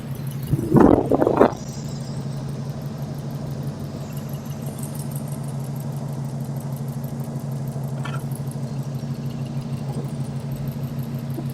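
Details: 2002 Subaru WRX, EJ20Y with GTX3076R turbo, Link G4X, ethanol: brief rev then steady even low drone, no misses or stumbles; clean stable idle, though engine called loud and fuel pressure drops under boost, possibly regulator.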